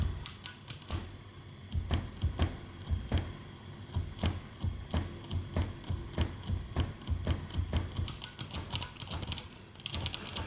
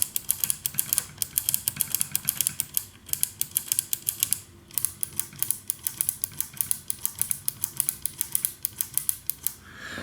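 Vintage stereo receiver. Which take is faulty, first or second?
first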